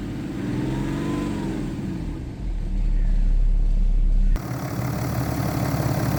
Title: BMW N57 rod knock (F11 530xd 2011 @ 367 000km)